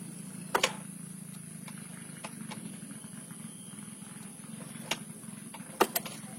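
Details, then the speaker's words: Engine turned by hand after loosening and adjusting valve clearance to restore compression lost from worn valves and rocker (low oil); sharp clicks and a strong "syuk" air puff each compression stroke, compression now good. "dia akan mengeluarkan suara syuk, tekanan udara yang sangat khas pada sebuah kompresi. Dan ini hanya bisa dirasakan oleh mereka yang peka."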